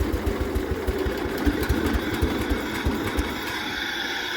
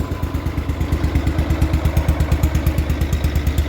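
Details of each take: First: Barn-find 1973 John Deere 140 H3 garden tractor, sat about 20 years, just revived and warmed up a little: slow, lumpy idle with uneven loping thumps barely keeping it running; idle speed set way too low, PTO works. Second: Barn-find 1973 John Deere 140 H3 tractor that sat about 20 years, after a carb kit, fuel line and filter: an even, steady thump at about three beats a second with no misses; a smooth, normal idle.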